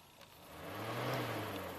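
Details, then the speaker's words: 1997 Toyota Celica convertible, 2.2 L four-cylinder automatic, 232k miles, radiator fan always on with the key on: with the fan number one relay installed there is no click, only a rising hum as the fan spins up. The normally closed relay isn't energized, so the fan runs constantly. "you hear it doesn't click and the this fan kicks on okay so what does that mean if it's normally closed that means it's not clicking it's not being energized and this fan would run all the time"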